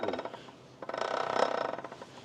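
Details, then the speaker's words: Endurant transmission from a 2019 Peterbilt 579, which threw codes and made noise on certain downshifts; after removal, shaft spun by hand gives quick regular ratcheting clicks like a prize-wheel flapper, felt as vibration in the shaft. Internal clicking, cause unconfirmed. "I could feel it too like I could feel it in here like one of them wheels that you spin with a little flapper yeah that's what it sounds maybe it sound it sounds like the like The Wheel of Fortune"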